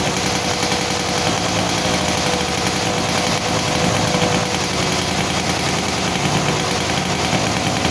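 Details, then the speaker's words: Yamaha Sigma two-stroke motorcycle that kept flooding spark plugs, after carburetor refitted with cleaned plug: crisp, even idle with steady firing, no misses or stumbles; engine runs clean, free-revving with good power again. "oke ya teman-teman eh motor udah enak kembali ya jadi tenaganya juga enak nih jadi di Udah Ee udah kedengaran ya jadi dari suaranya juga enak ya lepas gitu kan pas dia enak"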